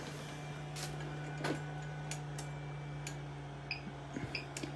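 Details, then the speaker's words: Everstart 400 W power inverter in homemade portable power bank powering a non-LED bulb lamp; internal cooling fan switches on, steady low hum with constant, fairly loud fan drone — inverter cooling fan running. "This is a non-LED bulb, so it does turn the internal fan on the inverter. As you can hear, it's pretty loud."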